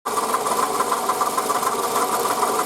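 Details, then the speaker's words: 2008 Toyota Camry 40, 2AZ-FE 2.4 L, 176,000 km, original water pump and idler pulleys: steady idle with fast, even light knocking that follows engine speed, growing louder since the previous evening; worn original water pump bearing, replaced along with belt and coolant. "помпа родная слышим Да какой звук появился начал потихонечку себя проявлять вчера вечером уже прям вот сильно"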